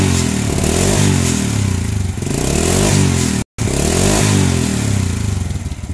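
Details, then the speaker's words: Honda Supra Fit/Grand/Legenda that died when hot, after replacing the weak stator coil (spul) with a new one: single-cylinder putter rises and falls cleanly through repeated revs, even firing; ignition normal. "Ini sudah enak ya, normal untuk pengapian, tidak ada masalah."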